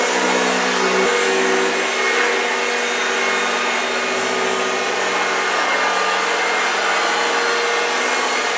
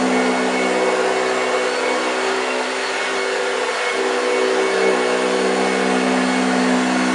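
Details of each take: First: 1965 Hoover Junior 1334A upright vacuum on a flat-floor demo: a constant high hum with a rough, dry growl underneath. Suction never falters and it picks up well, but the motor sounds a bit dry. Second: 1965 Hoover Junior 1334A upright vacuum running on carpet. Steady, even motor hum with the brush's low growl on carpet, no rattles or pitch wobble: normal operation.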